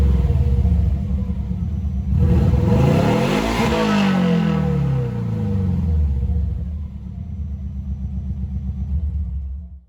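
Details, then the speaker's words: Subaru B4 with the rotted muffler removed, open pipe: loud, deep, raspy, hollow drone swelling on each rev and rumbling at idle; owner finds it doesn't sound bad without the can. "that's actually pretty funny because that don't sound half too bad without the can on it at all so if for some reason this exhaust is just too quiet i might just take it back off and run it straight"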